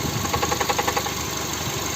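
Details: Cold idle on a VAG 1.6 MPI (BSE) engine (Volkswagen/Skoda): sharp, regular metallic tapping around ten per second that fades after a second; engine knock at cold idle.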